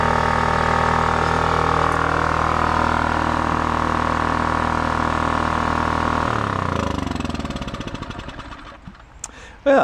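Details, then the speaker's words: Scrapyard Honda EX650 generator: steady, even hum at constant speed, then it winds down smoothly at shutoff. Healthy. "I believe these is supposed to vibrate with the frequency that it's running at don't see doing much of anything"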